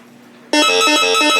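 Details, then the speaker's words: Bounty Hunter Time Ranger metal detector, ground-balance button held past the warning beep: a clean tone wobbling in pitch about three times a second, signalling it is ready to ground balance. "So let's hold it down longer past that warning beep. What happens? That means you're ready to ground balance."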